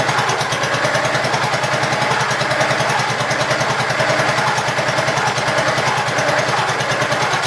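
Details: Gravely Pro 12 single-cylinder, choke on, just above idle: steady even thump, no misses, knocks or clatter; deck not turning easily; running properly.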